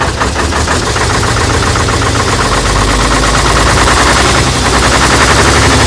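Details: AEC Matador 7.7 litre diesel on a cold day, first run after overhauled injection pump and injectors refitted and fuel system bled; heavy, steady even chug with firm low thump, no misses or knocks; normal diesel running.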